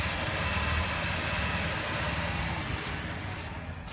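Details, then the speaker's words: Ford Taurus 3.0 L V6 loaner, about 193,000 miles, idling: uneven loping beat with occasional stumbles over a steady hum; rough idle the owner attributes to a vacuum leak. "it's got a vacuum leak that's why it's doing that that's a vacuum problem"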